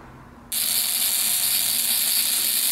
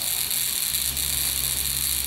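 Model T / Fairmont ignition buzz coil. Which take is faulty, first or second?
first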